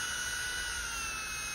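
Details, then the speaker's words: Nail drill (polisher) handpiece after disassembly, internal cleaning and reassembly to cure an odd noise: smooth, even, steady high-pitched whir with no squeal or rattle; sounds like new, normal running. "escucha como nuevo"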